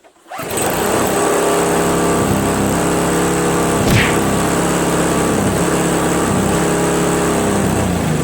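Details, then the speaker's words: Craftsman 522 4-cycle single-stage snowblower after draining water from tank, cleaning carburetor, replacing fuel lines and primer hose, covers back on: starts instantly, settles into steady even putter at constant speed, no misses; runs great. "carb drain the water from the tank replace the fuel lines and now it runs like a chat man works great"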